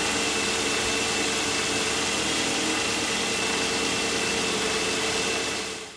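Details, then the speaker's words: Mercedes M273 V8, 107,000 miles, cold start: loud, steady whirring hiss with a faint rough drone from a worn bearing, probably in the secondary air injection pump. The noise lasts about 50 seconds, then stops. "When I start it up, you can hear kind of a bearing noise for about 50 seconds or so, and then it goes away."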